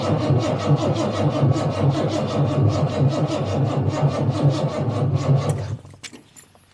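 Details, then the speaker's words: Jaguar XJ Coupe (XJC) after rebuilt cylinder head installed and head studs repaired; steady rhythmic starter cranking, engine never catches; spark verified, smells of fuel, runs only on starting fluid, owner believes the AED cold-start enrichment device is at fault: cranks, no start. "all right I tried that made no difference it runs on starting fluid nothing else I believe the AED is at fault"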